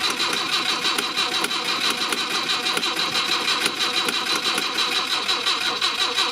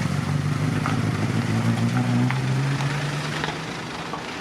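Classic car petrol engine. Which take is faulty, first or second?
first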